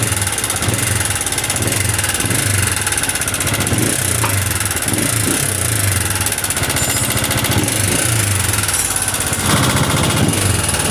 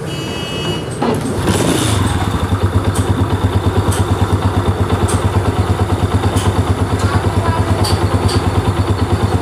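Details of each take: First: Honda CG125 single-cylinder idling: a rapid, busy metallic clatter from the engine body over the exhaust beat. The engine oil was found completely empty, as the bike had been run without oil, giving top-end noise. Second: Honda CG125 motorcycle after head/top-end repair: crisp, even single-cylinder thump about three beats a second, no rattle or knock, idling cleanly at low speed; earlier engine noise fixed.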